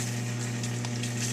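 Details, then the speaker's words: Whirlpool Duet Sport WFW9150 washer with F9 E1 no-drain error, after clearing a jammed pump impeller: filled with water and tumbling, drain pump now running with a steady low hum and watery gurgle, discharging into drain pipe normally. "Okay, so we had it filled with water. It was tumbling, and the drain pump is now running, and we're getting discharge into the drain pipe."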